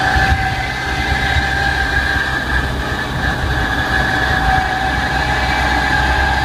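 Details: Manual car pulling under acceleration, foot off clutch: low rumble with steady whine on top, noise only present then; gearbox or clutch suspected, unconfirmed. Drivetrain rumble and whine under acceleration.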